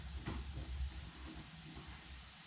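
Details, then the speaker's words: Second-hand sandblasting cabinet fed from a compressor: soft steady hiss over low rumble and handling knocks as the filter regulator passes air and leaks; regulator found faulty and bypassed, supply hose also had many holes. "i can hear that filter regulator making a noise which shouldn't be"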